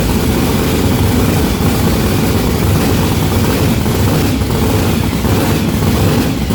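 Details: Blown, mechanically injected big block on methanol, first start: loud, rough idle rumble with an uneven, lumpy beat; front two cylinders not firing despite fresh plugs, new wires and a compression test; cause not yet found.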